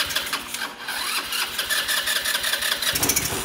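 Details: Small scooter engine cranked on a jump starter, weak at 120 amps, then turned up to 200 amps: a fast, uneven cranking chatter rises into ragged firing as it catches; it struggled to start, needing more cranking power.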